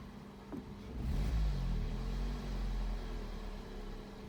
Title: Fluctuating iddle when engine is warm, rough idle